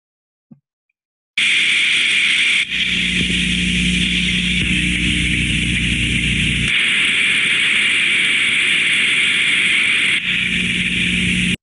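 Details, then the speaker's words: Thermodynamic disc steam trap, ultrasound contact probe: hiss swells as the trap opens and drops as it closes, repeating cleanly; normal steam trap cycling. "you can hear the turbulence increasing as the steam trap opens and then the ultrasound dropping as it closes again that indicates to us the trap is opening and closing correct"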